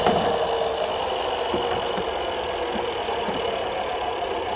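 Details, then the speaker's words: Neuton 14-inch mower (Aero CE2/CE3/CE5) on spare motor, after fitting a new blade: steady high motor whine holding pitch without bogging or labouring; runs smoothly, night-and-day improvement over the old blade. "Wow. Holy cow. That is like night and day."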